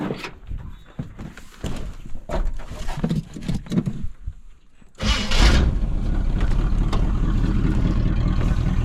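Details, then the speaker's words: 1979 Chevy Suburban that sat for a while, started by push-button starter wired to the coil: scattered cranking then a loud, uneven, blatty idle with deep throb, no major knocking; owner thinks it needs plugs, wires and carburetor rebuild. "I said does not sound the best but no major uh knocking or anything like that so she might be all right with a tune-up probably definitely needs plug wires plugs carburetor gone through for sure"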